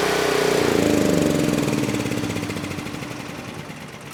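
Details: NorthStar 8000 PPG brushless generator with a 13 hp Honda GX390 that had sat for years, electric start on a new battery with no choke: engine catches at once and settles into an even chug of about four beats a second; normal start and run.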